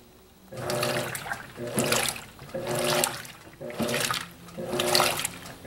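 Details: Electrolux Silent Control 12 kg (LAC12) washer on Normal program with Silent Cycle function, light-clothes load, low water level: water rushes in, surging about once a second, with no hum, grinding or rattle. Normal fill.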